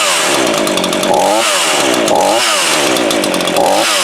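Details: Brand-new Craftsman 18-inch 42cc two-stroke chainsaw, started per manual with bulb primed and choke: steady high buzz with a few quick throttle blips, picking up cleanly each time; normal running.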